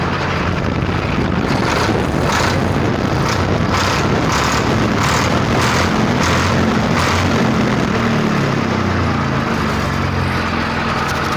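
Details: Swaraj 855 tractor diesel, in for a starting problem, running after start-up: steady, even clatter with a firm low thrum and no misses or knocks. The engine runs cleanly and sounds healthy.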